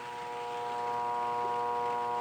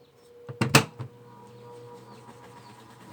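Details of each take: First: Mueller clothes spin dryer (centrifuge) motor only hums/buzzes and won't spin, as if lacking power; steady mains hum with no run-up, stalled motor. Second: Mueller centrifugal clothes spinner, customer complaint it only hummed without spinning, after repair and reassembly: lid thuds, pause, then even motor hum rising in pitch as drum spins up cleanly. Normal spin-up.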